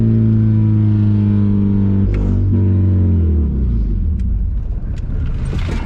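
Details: Honda Accord CD7 with freshly swapped H22 engine: uneven hum that stumbles and sags toward a stall; rough running from wrong distributor firing order, later corrected.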